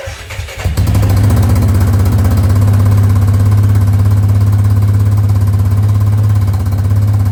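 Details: 2005 Yamaha Grizzly 660 ATV after repairs, bought broken; brief crank, catches within a second and settles into a steady, even idle with no misses; normal start and idle.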